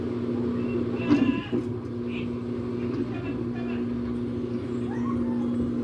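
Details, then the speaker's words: LG Turbo Drum washing machine with a damaged transmission that caused noise during wash and spin: spin cycle with a steady, even hum at one pitch, no knocking or grinding; normal spin cycle. "Podemos ver ya el centrifugado."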